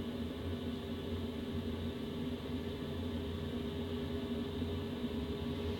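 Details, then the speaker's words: BougeRV diesel heater in a DIY travel trailer going through its ignition phase at startup, duct air still cold; a steady low hum with an even fan and combustion whir and no knocking or sputtering. Normal startup. "And what's happening right now is that the heater is uh just starting to go through its ignition phase. Usually takes a few minutes and you'll actually see the progress in the combustion efficiency spot right here."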